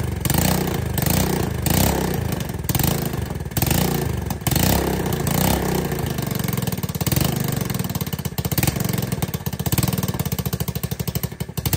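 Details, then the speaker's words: ATK 125 go-kart single-cylinder with a newly fitted homemade welded muffler: loud, sharp popping that follows the throttle, with a raspy crack on each pulse, only slightly quieter. Owner suspects an exhaust leak ahead of the muffler. Loud exhaust. "A little quieter. About sounds the same. It might be that exhaust leak that we're hearing so loud."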